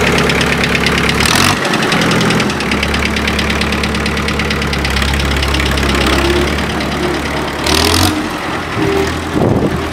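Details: 1955 Allis-Chalmers WD tractor with swapped Kubota four-cylinder diesel (ex city bus, about 38–40 hp), started after five-second glow plug; catches and settles into steady even clatter, pulling cleanly as it drives off; normal diesel running, plenty of power.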